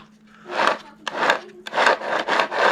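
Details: Traxxas X-Maxx RC truck in heavy-use condition during teardown, drivetrain turned by hand: gritty rasping bursts about twice a second; rough, grinding rotation inside, cause not yet confirmed.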